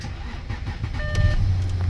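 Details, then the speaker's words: Audi Q7 after electrical repair (blown fuses, faulty relays, unplugged connectors, key reprogrammed; previously started then cut out, no OBD communication): short chime, then engine fires and settles into steady even low rumble, no stumble or cut-out; normal start. "the car's running."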